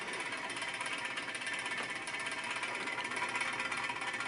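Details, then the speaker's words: Vintage Arctic Air fan, first power-up on low speed via variac with series 150 W bulb after oiling bearings: steady whirring with light uneven tick about three a second; owner suspects a bent blade, and the shaft is loose. "seems like something might be a little out of kilter maybe a fan blade is a little bit bent"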